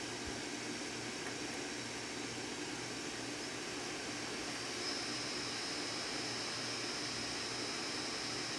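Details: Power Mac G5 with 8 GB RAM during a RAM reconfiguration; loud, steady rushing air at constant pitch with no rise or fall; the fans are stuck at full speed because a fan was left out.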